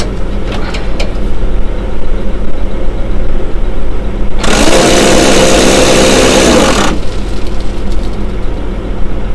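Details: Seeding rig on a tractor at idle during a calibration run, Western Australia: a harsh grinding roar with a rough whine bursts in for about two seconds and stops; auger bearing failure.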